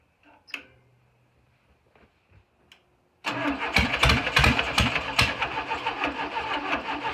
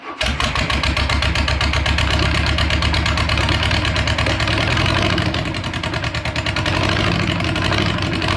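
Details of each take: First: VW Beetle engine after correcting plug wire order to 1-4-3-2: a few cranking clicks, then an uneven stumbling idle with irregular pops; owner felt it wasn't firing right and adjusted timing; rough running on start. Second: VW Beetle (Bug) engine in its new home, first start after fuel system and gas tank redo, carburetor primed with fuel; fires almost instantly, then holds a busy but even idle with a steady beat, no misses or odd noises; healthy start and idle.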